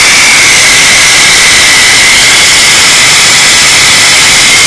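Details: Supercharged 3800 Series II engine at idle, noise appeared suddenly with a visible leak, coming from below near the ignition; loud steady hiss with faint high whistle over barely audible engine, cause unknown.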